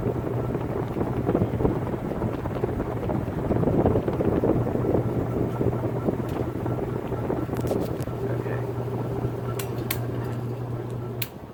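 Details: Antique Century closed-top 60-inch ceiling fan, late 1910s–early 1920s, started 0 to high, camera near motor: low steady hum under loose rattly noise, sharp clicks near end; noisy startup, owner suspects winding or vibration/loose parts.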